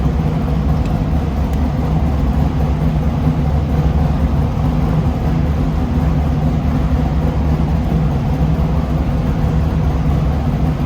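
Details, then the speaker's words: Race car being prepped for King of the Hammers after finalizing dry sump system: steady, even low rumble over eleven seconds, no ticking, knocking or stumbling; revved with no oil coming out, running cleanly. "I think that's pretty awesome because I revved it up, no oil comes out. I'm pretty excited."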